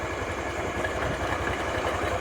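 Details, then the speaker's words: 2022 Honda Beat FI scooter, brought in for a coarse, rumbling engine noise; steady idle with a low rattly pulsing underneath, before teardown. Worn or sludged crankshaft bearings suspected. Rough idle rumble. "hari ini kedatangan bit koj yang sudah LED ya datang dengan keluhan suara kasar kemorok di mesinnya"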